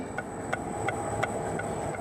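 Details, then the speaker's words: Citroën C4 on a RuidCar shaker rig, microphone held close to the body panel: sharp little creaks about three times a second from a loose spot weld on the body, two sheets rubbing; the noise stops when a hand presses the panel. "então está aqui ponto de solda solto na carroceria trabalhando grilos no carro"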